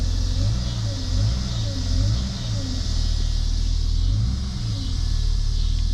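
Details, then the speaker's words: 1991 Jeep Cherokee Briarwood just revived after sitting several years, new fuel tank, pump, filter and fresh gas, oil pressure present: clean pull-ups on throttle blips settling back, deep even exhaust rumble, no knocks or misses; normal running. "she hadn't run in a long time we just started so smart thing to do here just to let her idle for a little bit"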